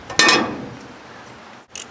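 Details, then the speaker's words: New door damper on a Central Boiler CL 604A outdoor wood boiler: crisp metal-on-metal clank as the damper drops, then a lighter clink; the bottom seal looks and sounds good, seating solidly. "my bottom seal down here visually it looks pretty good that sounds good"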